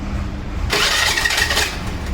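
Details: Hero or Honda scooter with bent crankshaft end, self-starter cranking before repair: harsh metallic grinding rasp over the starter crank for about a second, starter gear scraping on the bent crankshaft; starter grinding.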